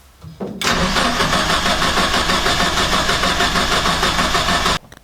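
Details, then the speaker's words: Engine with new ignition coils, leads and fuel pump, at 37°C intake air and 60°C coolant, cranks with a steady rapid chug for about four seconds but never starts. The laptop shows no RPM signal while cranking; the cause is unconfirmed. "So interestingly, I'm not getting any RPM signal at all, which I would think that you would get one just cranking it over, I would imagine."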